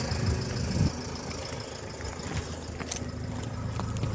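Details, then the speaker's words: Renault Trafic 2 / Opel Vivaro 2.0 M9R780 diesel after replacing a faulty piezo injector and re-priming the pump: an even low idle with a steady exhaust pulse and no misfire; back to normal. "mais là le bruit est vachement vachement fluide VI plus comme avant tout est rentré dans la normale"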